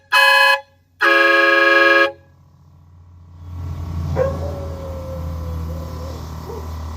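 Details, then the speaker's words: Chevy Silverado 5500HD with newly installed aftermarket air horn, after compressor pumped up: two loud clean blasts with full tone, compressor hums; horn working correctly. "Alright, now we got the right tone. Just needed to get some air ran through there."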